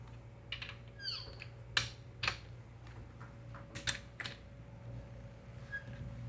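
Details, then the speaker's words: Assembling a 1000HP 2JZ on a Mazworx block with ARP 8740 main studs and billet main caps: a brief, high chirping squeak among tool clicks as a main cap fastener is torqued dry; friction from missing lubrication, so it is to be gone back to. "Hear that squeak? Mhm. I don't like that at all."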